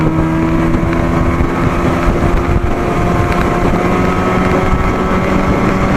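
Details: 1987 Johnson 40hp outboard, old original coils, after setting WOT timing by the Joe Reeves method, with worn motor mounts: strong, steady drone at even pitch under load, with wind rush. Runs clean and healthy at speed.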